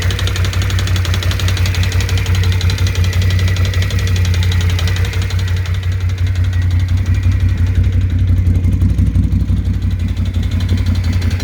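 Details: BRP Can-Am Outlander 650 engine at idle: deep, loud idle with a dull knock repeating about three times a second over the low engine note; source not pinned down.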